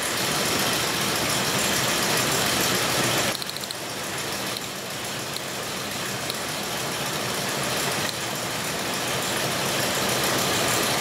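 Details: 2002 Ford Explorer Sport Trac 4.0 L V6 with cylinder 6 misfire and bad bank 1 sensor 1 O2 sensor, cold idle during diagnosis: uneven lumpy beat under loud steady engine noise, one cylinder dropping out.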